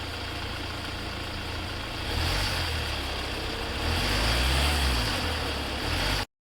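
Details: Hyundai Venue idling with the AC on: low drone that swells twice as the compressor loads the engine, no clear knock or tick; source of the noise unclear.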